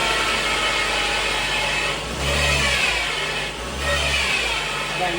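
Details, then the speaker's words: 2014 Ford C-Max Hybrid HF35 transmission running: rough, gritty whine swelling in pulses from badly failed transmission stator bearing; needs transmission repair or replacement. "Okay, so if your transmission is making that noise, you have stator bearing failure. This one is pretty well gone."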